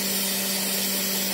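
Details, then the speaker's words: C5 Corvette secondary air injection pump, diagnosed for P0410, commanded on by scan tool with its valve disconnected. It runs with a steady electric whir and airy rush, blowing air properly. "And then using my MK900 scan tool, I'll turn on the air pump to confirm if it's actually blowing air. And it is."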